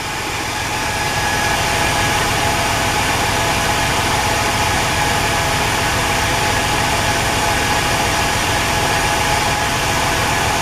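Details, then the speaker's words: Engine idling after Gumout and transmission fluid were added to the oil, which is still a little low: light quick tick about three or four per second from the driver's side; suspected noisy lifters; engine ticking at idle. "still little low but it's ticking now it was a little louder imma leave it running for a little bit"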